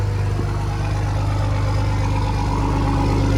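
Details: Diesel truck in a snowy West Virginia garage, cold start: deep, steady idle with an even low rumble and no knocks or stumbles, left to settle after the cold start; normal diesel idle.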